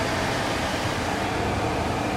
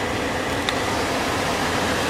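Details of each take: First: guys this blow motor does not sound healthy can you hear Second: Car cabin blower motor reference clip showing how it should sound: smooth, even rush of air with no ticking, grinding or wobble; owner says the actual blower motor does not sound healthy.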